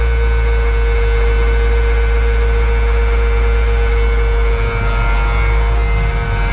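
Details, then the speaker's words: M35A2 military diesel truck after sitting long with old fuel, started on fifth try with ether: low steady drone, constant tone, no misses or knocks; seems to run pretty good, drives itself; normal running. "seems to run pretty good awesome"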